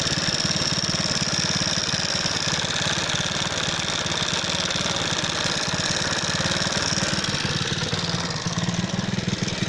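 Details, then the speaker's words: Alpha moped single-cylinder, knocking after being run with oil at minimum: hard, uneven knock about twice a second over raspy exhaust. Owner suspects piston hitting valve (80%); clutch basket, bent part or magneto also suspected; timing chain intact. "Гремит движок, 80% клапана. Поршень бьет об клапан."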